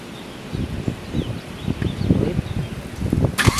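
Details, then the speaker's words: Nissan S15 SR20DET with a freshly rebuilt starter: uneven cranking chuffs for about three seconds, then the engine fires and catches cleanly into a run after troubleshooting. "so as you guys can see Kevin worked his magic I don't know how you did it got the car started that's insane"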